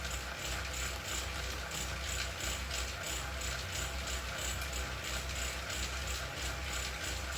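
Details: Wahoo KICKR CORE trainer with Zwift Ride, strapped to a rocker plate, while pedalling: loud, sharp click repeating about 1.5 times a second over the steady trainer whir. Repeated clicking, reportedly a known issue; unit later replaced.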